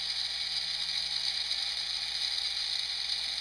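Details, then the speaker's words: 3Doodler 3D pen on the fast feed setting, building a cube base: a thin, high, constant whir with no clicking or skipping. Normal extrusion. "As you can see, it is a bit faster, but I prefer slow because they have a little bit of time to think about it before I move on."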